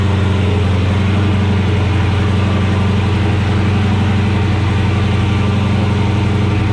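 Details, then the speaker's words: 2016 Dodge Charger Scat Pack V8 with long tube headers, K&N intake, catch can and tune, after installing ProFlex Commander E85 flex fuel kit: deep even steady idle, no misses, ticks or knocks; sounds normal. "Good. Sounds like normal. Sounds like normal."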